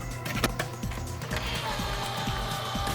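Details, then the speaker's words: Original PS4 Blu-ray drive after replacing damaged, over-bent ribbon cable to motherboard (was slow eject, faint beep, slow feed): soft motor whirr and light clicks as disc draws in smoothly, spins up and reads; normal disc loading. "There we go. It sounds way better. It's actually reading the disc. It's inserted fine."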